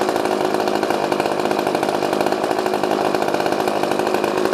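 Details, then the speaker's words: Old pre-1990s two-stroke chainsaw running with a loud, steady high-pitched buzz at even speed; it runs cleanly. "Let's see if it'll start back up. Wow. Everyone's good. runs a runner. That didn't need to warm up or anything. That one just kind of started right up."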